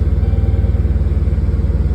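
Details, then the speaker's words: Dodge Charger after P0340 camshaft sensor replacement and harness rewiring, check engine light cleared, oil pressure about 55 psi: low even idle, steady pulses about thirteen a second, no knocks or misses; normal smooth idle. "and as you can see, because at first it was starting up and it would take a minute to start. So now it fires right up."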